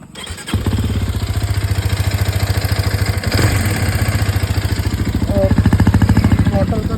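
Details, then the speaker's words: Hero Xpulse 210 single-cylinder with 35 km on it, while riding: rough, uneven thumping at steady revs, owner calls it a bad engine noise; cause unknown. "उसका engine sound कैसा आ रहा है। बहुत सा गंदा सा sound आ रहा है।"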